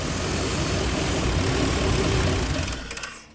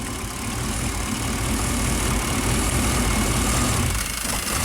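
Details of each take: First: Classic Chevy 5.7L V8 with replacement PROM chip, warm, idling around 850 rpm: rough uneven idle about three seconds, then sags and stalls once O2 sensor plugged in and closed loop begins, sensor reading rich; cause not pinned down. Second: Classic Chevy 5.7L V8 just after the proper PROM chip is installed: the idle drops right away to a low, steady, even beat with no hunting or surging. Normal idle.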